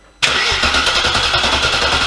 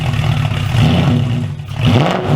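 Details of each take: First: First cold start of a V8-swapped Porsche Cayman after chasing a misfire in which one bank was not firing: a quick crank catches into a strong, even, throaty V8 idle with no knocks or misfires. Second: Porsche Cayman fitted with an Audi V8 swap, running: surging up and down every second or so, uneven and lumpy with near-stall dips and misfire; rough hunting idle, owner suspects a vacuum system problem.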